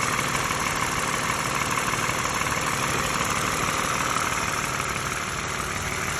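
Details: A used US-spec 2013 Lexus RX350 base model has a fast, fairly regular light engine rattle, about three per second, over a steady idle hiss, also heard in the cabin. The front right engine mount was recently replaced; the cause is unknown.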